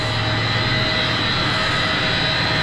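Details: Commercial ABB-driven centrifugal condenser water pump, run in hand mode at 37 Hz to match the other pump, during strainer cleaning: steady, even hum with constant whirring, no knocks or rattles; running smoothly, healthy.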